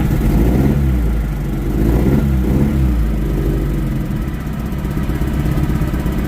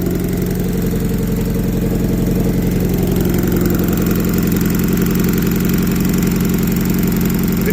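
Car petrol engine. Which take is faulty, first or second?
first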